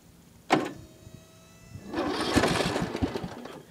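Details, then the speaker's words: Ariens Zoom 1740 mower with a new replacement Briggs & Stratton Intek 19 hp engine, after the Kohler Courage 17 hp cracked its block: sharp starter clunk and short whir, then a rough start. Owner suspects a bad solenoid; the old engine did this too. "and you hear that that's um I don't know if I discussed that but I think it's just needs a new solenoid um cuz the old one did that too um and I thought it was a starter going bad"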